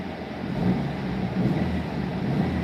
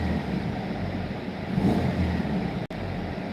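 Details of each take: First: Engine at operating temperature: a deep, steady exhaust rumble with no ticking or puffing; the exhaust leak heard earlier is no longer audible now that everything is hot. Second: Turbo car on the dyno during pulls, under load: rough, puffing exhaust note from an exhaust leak at the turbo flange, which isn't flat; the leak is to be fixed after one more pull.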